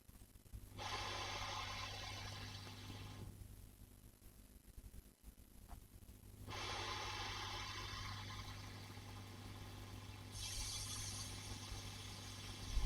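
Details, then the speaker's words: 5E3 tweed valve amp copy, normal channel, both ground switches up, hum-level check with boosted audio: steady low mains hum under soft hiss swelling as volume rises; normal for a 5E3, though some parasitic oscillation possibly heard. "To be honest with you, that's all sounds fine. That's pretty normal. Little bit of hiss as you turn the thing up for a 5e3. absolutely normal."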